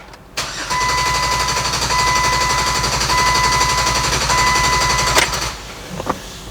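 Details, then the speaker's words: 2007 Jeep Wrangler 3.8L with a misfire, cranked in clear-flood mode with the pedal floored as a relative compression check: steady, even cranking with no dips or skips, so no cylinder has bad compression. "That doesn't sound anything like a cylinder with a bad compression."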